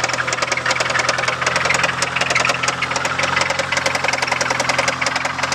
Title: 97 talon tsi engine knock